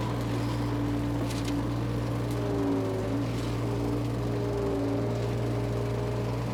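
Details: Power Trac 1850 diesel tractor with the mower attached and running, after all fluids were changed. Steady, even diesel drone holding a constant pitch under mower load, with no knocks, misses or surging. Tractor and mower both run great.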